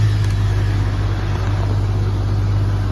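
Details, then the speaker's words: Jeep Cherokee XJ after ECU no. 252 repair (capacitor acid had shorted an IC; capacitors replaced): starts first try, pump silent after key-on, deep steady engine drone, normal acceleration, AC and charging normal. "เดียวติดนะครับอัตราเร่งปกตินะครับเปิดแอร์ทำงานปกตินะครับระบบการชาร์จนะครับปกตินะครับ"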